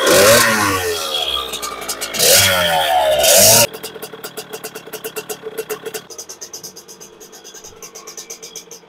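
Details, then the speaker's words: 2001 KTM 50SX two-stroke with upgraded aftermarket carb, warming up: revs climb and fall, then a lumpy burbling idle with uneven popping; still rich on needle position three, needle about to be raised to position one. "I will let this run a little bit see what happens here let's let this get up the tent still Rich"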